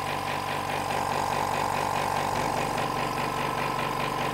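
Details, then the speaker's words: Hyundai SAC 55751 silent (59 dB) compressor running with its intake filter tube removed: steady rhythmic hammering with a loud hollow hiss and drone, much louder than with the tube fitted; loud intake noise. "it's a lot louder so so that's seems to make a a bit of a difference the the tube"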